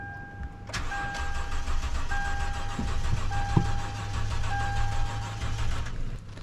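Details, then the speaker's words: 2011 Toyota Tundra 4.6L V8 after battery installed backwards and main fuse link replaced, being jump-started: starter cranks steadily for several seconds with even compression pulses but engine never catches; crank but no start. "that's not good still didn't start and I'm jumping it so I thought"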